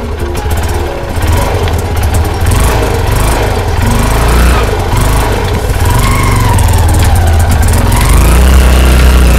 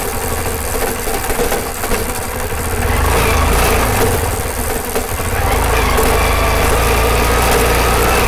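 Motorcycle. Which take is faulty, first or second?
second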